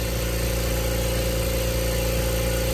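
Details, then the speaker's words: New Kobalt air compressor on its first run, pressure building in the hose and tank, in a garage; even steady motor hum with no knocks, rattles or pitch wobble; normal running. "All right, so now we have it running. It's not that loud, which is good."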